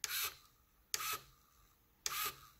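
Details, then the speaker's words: LEGO EV3 robot arm motor driven past its stop beyond a right angle during range testing: three short harsh ratcheting bursts about a second apart as gear teeth skip, risking shredded gears. Gear slipping. "um well that sound is a gear slipping so let's try it"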